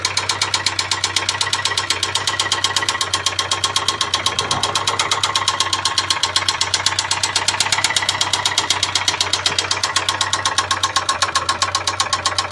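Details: Ford Sierra 2.0 carburetor engine at idle: a crisp, even knock at about four per second over a steady idle; a foreign mechanical knock inside the engine, cause undetermined.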